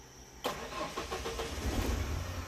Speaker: let's see if it starts up with just the key awesome oh my god finally I'm done with the ignition